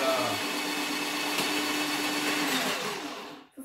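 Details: New Tacklife electric drain auger: steady even motor hum at constant pitch, then winds down and stops; running normally.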